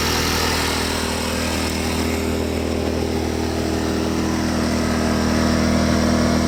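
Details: Champion 2500 W dual-fuel inverter generator, brand new, first start, eco mode switched back on: steady, even hum with constant low tones, no misses, surges or knocks; sounds pretty good, normal running.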